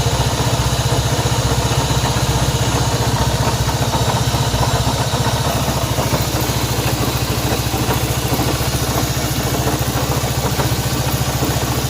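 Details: Honda CB190R single-cylinder at idle with a rapid, irregular clatter riding over the low thump; odd mechanical engine noise, cause not yet pinned down.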